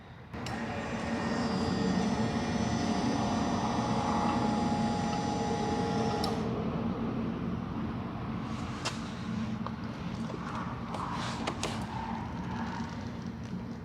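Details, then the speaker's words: Boat engine being recommissioned, oil pump primed with ignition on before first start: steady electric hum for about six seconds, then a clean cutoff, no leaks; normal oil pump priming. "I'm going to Prime the oil pump while I'm on this side and see we have any leaks"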